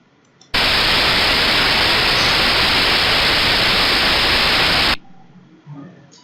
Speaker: hemos escuchado cómo son a nuestro rodamiento